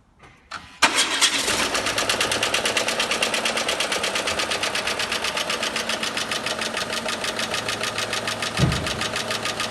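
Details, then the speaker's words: Renault Megane 2 at cold idle: cold start, then a fast, even metallic knocking over the idle throughout; teardown showed worn shafts and bearings and a scored crankshaft, engine knock before an anti-wear additive treatment. "проблема стуки в моторе по разбору показала изношенности валов и подшипников задели на коленчатом валу мотор труп"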